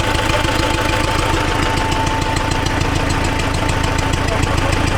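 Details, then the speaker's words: T-40AM tractor diesel, cold start at about -14°C after sitting a month, decompressor engaged: irregular knocking about three per second over a rough idle; internal knock, source not yet found, heads to be pulled for inspection. "том заводят двигатель и включают декомпрессор. Нас не устраивают эти звуки."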